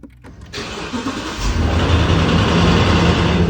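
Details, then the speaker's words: 2021 Toyota Land Cruiser 5.7 V8, cold start: engine catches into a fast idle with a quick, uneven rattle; began in March only on cold starts for seconds, now lasts 5–10 minutes, louder and random; owner asks whether it is lifters, tensioner or crank. "هذا الصوت قام يطلع في شهر 3 وكان بس على التشغيل البارد وما يتجاوز ثواني أو دقيقة. الحين يتم لفوق ال5 أو 10 دقائق واستوى وايد أعلى وعشوائي."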